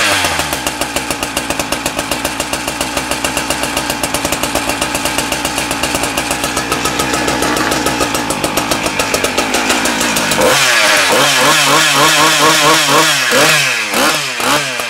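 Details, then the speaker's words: Husqvarna K970 concrete saw two-stroke after engine rebuild and carburettor adjustment: crisp even rapid beat, revs climb and settle cleanly; runs well, though clutch drum bearings later found worn. "oh so we got the engine going good now the engine really good"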